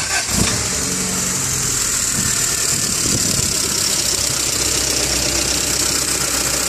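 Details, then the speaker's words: 1988 Honda CRX, warm and idling in neutral for a block (combustion-leak) test; the engine catches and settles into a steady idle with a light, quick ticking on top, valve tapping. "hear that valve tapping."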